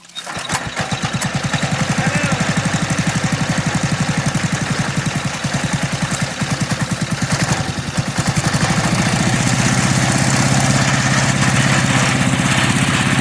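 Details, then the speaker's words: MTD walk-behind leaf blower/vacuum started after sitting about three years: loud uneven pulsing beat with a loose metallic rattle, running rough and shaking on its mounts; cause suspected, not confirmed. "Even though this this thing sounds like it's about to detonate itself. We're going to try to blow at least one pass."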